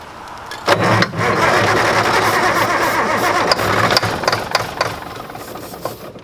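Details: Mack diesel truck being revived on day two, cranked on a big battery while trying to run it on ether before the injectors are bled: rough, uneven starter churning at about four compressions a second, but it never fires.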